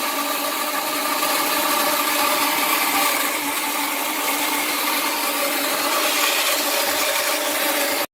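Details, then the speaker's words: New Rheem electric water heater being filled before connecting power: steady rushing hiss with faint hollow hum, then it cuts off; normal filling sound, stops when tank is full. "Okay, here's the sound it's going to make when it's filling. And when that sound goes away, that means it's full."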